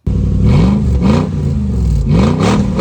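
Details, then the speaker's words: Lexus GX470 V8 straight-piped after the rusted exhaust rotted off at the flange: deep, raw bark climbing sharply with each throttle blip and dropping back, loud and droning enough to cause headaches; muffler removed. "as you heard there it did sound pretty mean so there were no complaints on how it sounded except for the fact that it did drone on and that began to hurt my ears"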